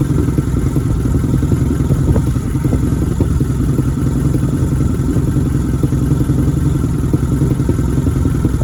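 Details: 1987 Nissan engine, first start of 2021: lumpy, uneven idle with irregular pulses and light clatter over a steady drone; rough idle, cause not evident.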